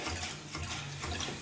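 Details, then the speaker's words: Apartment toilet fill valve that keeps overflowing makes rapid mechanical ratcheting chatter over a low hum and running water, heard as thumping in the suite below; the fill assembly needs replacement. "it's only because I heard the water going down the drain pipes down that What's called the vent stack that I found out that is this goofy toilet and uh this fill belt just doing weird stuff"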